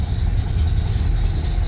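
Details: Ford Model A (1927-1931) four-cylinder: deep, steady low rumble idling evenly just after a cold start with spark advance about halfway; a squeak from a worn fan belt may be heard; normal idle.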